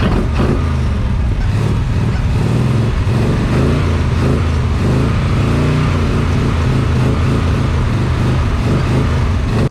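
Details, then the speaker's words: Big-cam big block Chevy with rebuilt Holley 750 double pumper: loud, uneven rumble with revs wavering as the throttle is pumped to keep it alive; won't idle on its own despite running very rich, idle mixture screws to be checked. "so far what it seems like is that I'm having to keep pumping the accelerator to keep the engine running even though it's running stupid Rich it's almost like it's not getting enough fuel to keep idling on its own"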